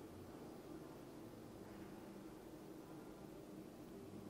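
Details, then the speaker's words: Dometic (formerly Atwood) 12,000 BTU forced-air furnace in a Four Wheel Camper, lit: quiet steady blower rush and soft even hum, fan running, propane flowing, burner burning normally. "i have a feeling it's fired right up so fans going propane's flowing burners in there burning"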